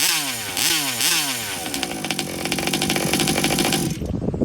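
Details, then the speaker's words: TMR-Rovan FT360 small two-stroke with newly installed remote kill switch, pull-start restart after kill test: a few rising and falling starter pulls, then catches and holds high even buzzing run; starts and runs healthy. "Blue light's out. Starts right back up. Perfect, guys."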